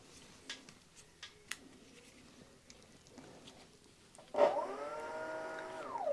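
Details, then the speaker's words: Giant Revive e-bike with Bafang/8FUN hub motor, rewired with new controller: clear electric whine for about two seconds without the wheel spinning; disconnecting the controller's two joined green direction wires fixed it, throttle then spins forward. "wheel does not spin but you can hear the motor when you connect these two green ones to one another it starts up automatically"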